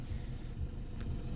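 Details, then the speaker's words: BMW 318i, 6-speed, airbag, ABS and traction lights on, slight oil leak known: low, even engine rumble at idle with steady beat and no knocks or ticks; engine runs fine. "Engine seems to run fine. I know there's a bit of an oil leak as well."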